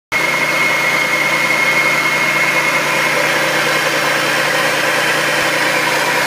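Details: 2004 Audi allroad 2.7T on a cold morning start gives a loud steady roar with a thin high whistle for about 30–45 seconds, then it goes away; no noise when warm. A steady CEL appeared once and was cleared. Cause unknown.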